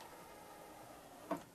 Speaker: Okay, let's go ahead and try to open it. I mean, it's not the quietest mechanism anymore.